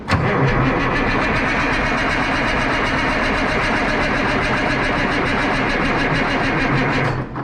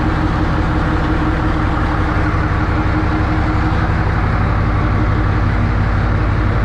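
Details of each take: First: 1963 Diamond T 931-CN cabover diesel semi, unstarted one to two years, batteries only briefly charged: starter turns the engine slowly, about three and a half chugs a second for seven seconds without firing; weak batteries. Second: 1963 Diamond T 931-CN cabover semi diesel, first run after sitting one to two years: steady even idle with regular low thrum, no knocks or misses; healthy, settled engine.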